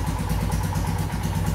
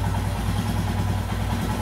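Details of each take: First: Royal Enfield Himalayan with throttle position sensor set way off: uneven, lumpy single-cylinder idle with hiccups on acceleration; erratic idle from misadjusted TPS. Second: Royal Enfield Himalayan right after adjusting the throttle position sensor to a reading of about 5.5–5.6. A perfect, steady, evenly spaced single-cylinder idle without hunting, and it holds up when accelerated. Normal idle.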